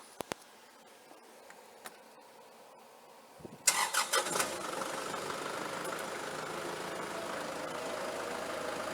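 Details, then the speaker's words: Kubota tractor driving an Allis Chalmers sickle mower converted to 3-point hitch, first run: clicks, then steady mid-pitched run with faint uneven shake, seat bouncing. "tractor sounds good a little bit of vibration though you can see the seat bounce in there it's not terrible but there is some vibration there"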